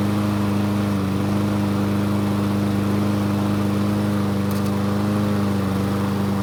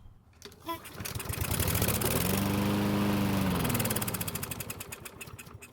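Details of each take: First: Craftsman push mower engine running after the carburetor was found faulty, blade sharpened: steady, even drone with no misses, surging or knocks. It runs cleanly after the repair. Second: Craftsman lawn mower that wouldn't start, fuel poured into carb throat: engine catches, revs a few seconds, then sags and sputters to a stop, showing spark and compression are fine; fuel starvation from a carburetor fault.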